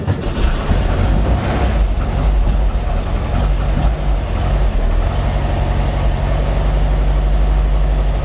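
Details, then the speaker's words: 1955 Porsche 356 Pre-A Speedster, stone cold, just started with push-button start in neutral: low, slightly lumpy idle with an uneven beat; mostly smooth but not completely, before tune-up. "how does it sound as it sounds smooth for the most part I mean it's stone cold of course doesn't sound too bad they're completely smooth though I think we can we can work on"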